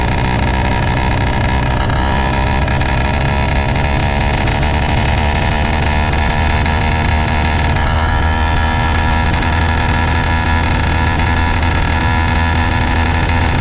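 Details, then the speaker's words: Two-stroke motorized bicycle after fitting BikeBerry HP carburetor, F2 Thruster exhaust, new throttle and cable, on a ride; loud buzzing, uneven stumbling firing, sputters under load, still running rough though better, cause unconfirmed. "So you can hear how it is running. It is still running like crap. It is definitely running like better crap."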